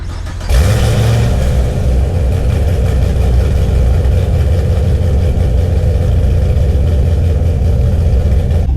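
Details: Chevrolet Camaro Z28 V8 catches and settles into a deep, uneven, choppy loping idle typical of an aggressive cam; owner mentions an exhaust leak, stock exhaust.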